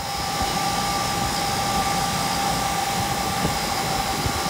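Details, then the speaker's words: Rooftop AC unit on a no-cooling call, where the indoor blower motor had sounded terrible with a blown capacitor: after the repair the blower runs with a steady, even airflow rush, about 6 amps with the door off and 4.8 amps with it on; normal. "Alright, so it's running."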